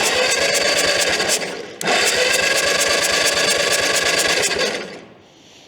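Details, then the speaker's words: 1952 Caterpillar D4 dozer sat 10+ years: pony starter engine buzzes fast and rattly but main diesel doesn't turn over after partly freeing the seized engagement handle; owner suspects pinion not engaged or something else. "Well, the pinion must not be engaged then, or something else weird's going on, because"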